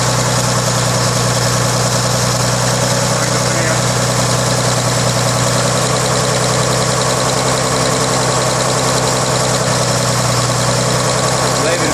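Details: 1933 Chevrolet six-cylinder (5.6:1 compression, 74 hp) on first start in over 50 years after engine rebuild, with a steady, even low idle with no knocks, ticks or stumbles; smooth and healthy.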